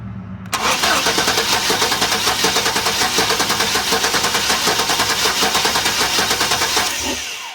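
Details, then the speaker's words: Chevrolet Suburban, number four cylinder has no compression; plug oil-covered, good spark confirmed, air felt tapping from plug hole. Steady, slightly uneven starter cranking about three beats a second, never catches, during compression test. "so I thought well let's try the compression"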